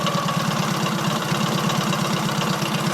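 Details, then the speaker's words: Matchless G11 classic motorcycle after full engine rebuild, three-bearing crank, all-gear-driven timing: slow, even, low thumping idle with light gear whirr on top, quiet and steady as tickover is dropped; normal healthy idle. "it's quite quiet we can just drop the tick over down a bit now"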